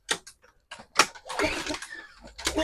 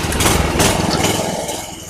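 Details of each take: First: Craftsman 3000 psi pressure washer with a Briggs & Stratton 190cc 8.75 hp engine, found abandoned and non-running. Fresh non-ethanol fuel was squirted into the intake; a few coughing pulls, then it starts briefly and dies. Compression and spark are good; the carburetor is suspected. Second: Craftsman 3000 psi pressure washer with Briggs & Stratton 190cc 8.75 hp single-cylinder engine, found abandoned as non-running, first start with fresh gas, no water through pump: catches and runs steady, even beat before shutdown; sounds healthy.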